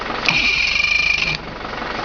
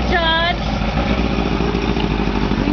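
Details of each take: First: 1983 Mercury 50 hp Blue Band Thunderbolt outboard starter after a home clean-up rebuild: steady high electric whir for about a second as it spins freely, then a clean cutoff. The starter works; the battery still needs attention. Normal cranking. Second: 1983 Mercury 50 hp Blue Band Thunderbolt Ignition outboard after starter motor rebuild, started with the old starter on its own battery: uneven, slightly lumpy idle after a couple of blips; rough running, cause not confirmed.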